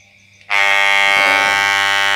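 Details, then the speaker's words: Wahl Super Taper hair clipper switched on: a loud, steady high buzz with a piercing edge. The adjustment lets the noise level be set if it runs loud. "Terus buat ini bagian penyetingan ya guys. Kalau suaranya keras bisa disetting, misalkan gini guys."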